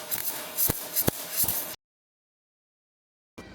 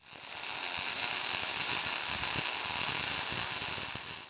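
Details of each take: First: MIG welding listening test: sharp, harsh frying crackle with hard pops from the arc, like frying bacon too hard; voltage set too high for wire speed, turn voltage down. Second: MIG welding with voltage and wire speed balanced: a smooth, steady, even high crackle like bacon frying, the correct-settings sweet spot.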